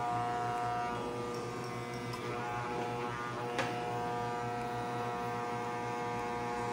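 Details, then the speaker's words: Hair clipper that cut in and out when its cord was moved, after the internal cable ground connection was repaired: an even buzzing hum at constant pitch with no cutting out or stutter; the clipper is running normally. "this friends, our equipment is already operating again in the environment and we are going to try plugging it in and turning it on,"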